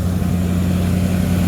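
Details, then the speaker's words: 1979 Ford Thunderbird after fuel system rebuild (new fuel pump, filter, rubber lines, sending unit), running on its own: steady, even low idle rumble with no misses, knocks or surging. Smoke is only spilled oil from an oil change burning off. "but she's running she's a runner lenina it's going uphill from here baby huh she smells healthy she smells healthy yeah she sounds healthy"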